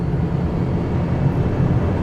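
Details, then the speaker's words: Road driving at speed in a 2002 Chevrolet Cavalier after a curb strike on the right front tyre and a steering rack replacement, with alignment still pending. Only a steady low road rumble, no clunks or knocks from the front end; it drives much better now. "I'm able to drive it at speed now. It feels a lot better than it did."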